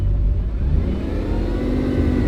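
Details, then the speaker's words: Bugatti with a broken radiator, low coolant, transmission, airbag and EPC errors and barely any fuel. Revving gives an uneven, stumbling low rumble like cylinders dropping out, and a power loss is felt; misfire present, cause unconfirmed. "Yeah, it's definitely misfireing as well. >> You can like literally feel the power."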